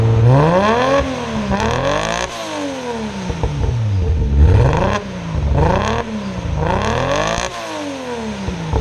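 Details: R32 Skyline GTR after a fuel pump connection fix, plugs looked fine: rough revving through repeated blips, chuffing and stumbling instead of a clean climb. Misfire under revs; owner suspects the tune, unconfirmed.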